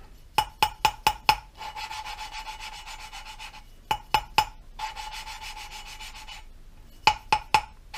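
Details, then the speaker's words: Subaru cylinder head, valve hand-lapped with grinding compound: quick bursts of four or five dry rasps then steady scraping strokes; noise thins as compound leaves seat and margin, tapping pulls it back; compound cutting the seat evenly. "And as that noise thins out, that means the compound's moved away from the actual seat and margin, and the tapping pulls the compound back into the area that needs to be ground. You can hear that change again."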